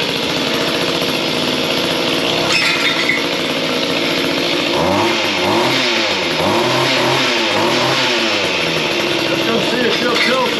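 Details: Mantis two-stroke tiller after replacing its carburetor (C1U-K82/C1U-K54A) because the customer was unhappy after an earlier carb cleaning: steady buzz that rises and falls cleanly with the throttle, no stumble; running properly.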